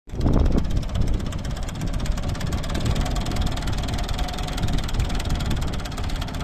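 Diesel tractor running with an uneven, stumbling low beat and irregular thumps instead of a steady rhythm; a cylinder is misfiring.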